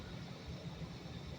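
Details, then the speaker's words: Home AC condensing unit, which previously would not start (only about 120 volts found), after a simple fix: steady low even drone, no knocks or rattles; cooling normally. "oh yeah she's cooling be vigilant folks don't let these guys rip you off thank goodness this was a simple one"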